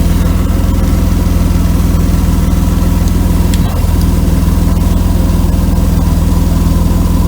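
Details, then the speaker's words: 1992 Mercedes W124 300E at idle after a temporary patch on the holed exhaust pipe. A loud, raw puffing about three to four times a second is still faintly there. Exhaust leak; a new pipe section (probably 2.5-inch) is needed, to be welded in. "It'll probably whistle now. I still hear it a little bit. Yeah. I think we need a new pipe."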